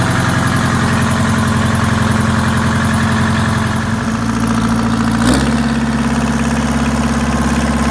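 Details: WMT 4-115 diesel, first run in three months, out of gear: clattering steady idle, one pitch shift as revs settle, then even with no knock.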